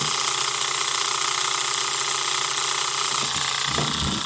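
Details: Marx toy train switcher: fast, uneven mechanical chatter of about three clicks a second over a buzzy motor hum, likened to an Alco. The noisemaker is working as designed.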